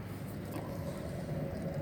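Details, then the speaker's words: Car wheel with brake complaint, spun by hand after pumping brake pedal with engine running: coarse, steady low rumble instead of a quiet spin; brake piston not seized, worn wheel bearing. "Kalau suaranya gemuruh, berarti laharnya rusak ya."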